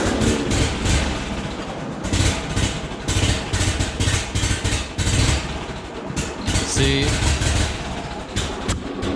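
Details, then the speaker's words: Ford 8N tractor running on residual carburetor fuel with gas turned off: ragged uneven sputtering, then shuts off as before; owner suspects fuel issue after earlier coil/distributor terminal problems; not fixed. "this is what it was doing before it would sputter like that and it would just shut back off again so we haven't actually fixed the problem"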